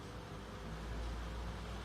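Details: Table fan running at good speed after capacitor replacement fixed the humming: steady, even airy hum with no droning or stalling; normal running.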